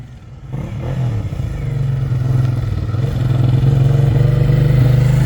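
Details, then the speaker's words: Long-abandoned first-gen Suzuki SV650 V-twin after a bad rear spark plug was replaced: it revs smoothly, but a light metallic rattle rides over the low firing note; the lower-end noise is likened to a V-Strom 650 at low rpm under load; source undetermined. "It does sound a bit rattly."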